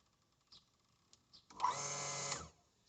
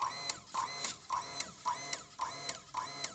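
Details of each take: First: Hitachi water pump after replacing the faulty pressure cylinder with a Mitsubishi part, tap opened slightly: pump starts with buzzing whir, runs briefly and cuts out cleanly; less flow gives longer cut-off, normal pressure-switch cycling. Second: Hitachi water pump with tap opened slightly: pump clicks on and off in quick bursts, a bit under two per second, then quiet; short-cycling from failed pressure tank, fixed by replacing tank.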